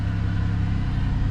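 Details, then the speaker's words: Chevrolet Monte Carlo, cold start after fixing misfire codes P0201/P0301 from squirrel-chewed injector wiring (soldered and wrapped): fast cold idle with a smooth, even drone, no stumbling or skips; all cylinders firing cleanly now, normal idle. "fired right up. And it's cold start like I haven't been driving or nothing since that uh misfire started, so As you can hear, yeah. Look at that, plain and simple fix."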